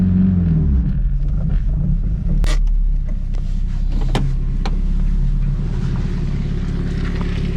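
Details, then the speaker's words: Turbo Honda S2000 driving up a lane on its failing rear differential before replacement: loud low drone from the rear rising with speed, occasional clunks; worn bearing in the rear diff. "what'd you think about that that's loud isn't it just imagining having to drive like 10 miles home like that i couldn't imagine going any faster than 20 miles an hour"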